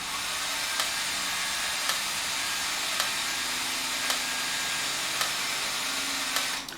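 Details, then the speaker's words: 1967 VW Beetle speedometer on the bench, original cable greased and spun: steady high whir with a light click about once a second, yet the odometer isn't turning; unit to be opened. "sounds like it's turning the odometer but the odometer isn't turning so of course we're gonna have to operate"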